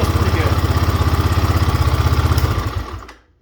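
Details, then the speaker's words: GPX Moto FSE 250E single-cylinder with a slide carb being rejetted (pilot jet) thumps at about four beats a second, slightly uneven and choppy, then dies away; idle mixture being smoothed with an eighth to quarter turn of the air screw. "So at this point, when it's just still kind of a little choppy, I try to go 8 to a quarter turns on the air screw to see if I can smooth it out."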